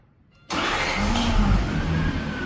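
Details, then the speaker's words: Toyota Soarer SC400 1UZ-FE V8 after new distributor caps, rotors, leads and coils and a repaired chafed wire: starter spins briefly, then it fires first time and settles into a strong, even run without misses. "Fires up. First time."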